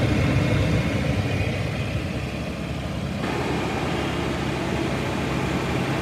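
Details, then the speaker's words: Petrol engine at idle: steady, even low rumble with no knocks or misses, sounding smooth and healthy. "[Music] so it does sound pretty good"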